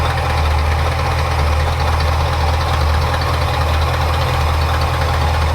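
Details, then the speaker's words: 1977 Ford Ranchero GT 351 Windsor 5.8 V8 with 3-speed FMX auto, cold and shaking after carburetor rebuild: low loping idle with uneven shake; owner thinks it's running lean and adjusts idle air mixture screws. "she like right now it sounds like it's running lean so change here other than the timing yeah it's the other side air idle air mixture"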